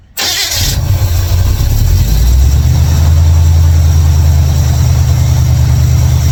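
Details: 1955 Chevrolet Bel Air after fixing ignition, electrical and fuel issues with a bypass switch and carburetor tuning: brief crank, catches at once, settles into a steady, even low idle with no misses; normal start and idle.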